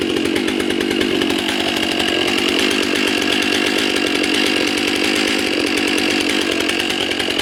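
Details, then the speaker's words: New Stihl MS 661 C-M during break-in, cutting ash at barely over half throttle, deliberately loaded a little. Steady high-pitched two-stroke buzz below full revs, loading slightly in the cut; runs clean and even, normal. "Now, if it seems like the saw is fighting, remember, I'm only hitting half throttle. A little more than half throttle, barely."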